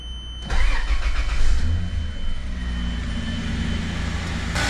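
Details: 80 Series Land Cruiser after cleaning the clogged fuel tank and fitting a new filter sock: short crank, catches cleanly, flares and settles to steady, even idle with no misfire or knock; runs healthy.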